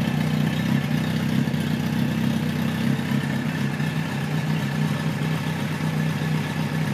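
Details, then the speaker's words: 1973 Kawasaki Z1 900 four: steady, even low idle burble with no misses or pops; runs pretty well but needs more carb tuning, owner suspects lean running when hot; air screws at about 1-5/8 turns. "so you'll see in a moment here how she runs runs pretty good right now but it needs a little bit more"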